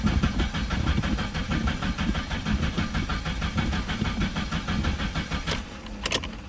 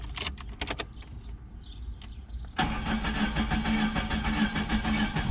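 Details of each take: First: 1987 Chrysler LeBaron Town and Country Turbo salvage-auction car, first crank after cycling the fuel pump with the tank possibly near empty: fast, uneven cranking with ragged sputters, never settling into idle; fuel pump not delivering fuel. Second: Start of a 1987 Chrysler LeBaron Town and Country Turbo salvage-auction car after fuel-pump priming and first oil change since 2005: light clicks and rattles, then it catches at once into a steady, even idle; a normal start.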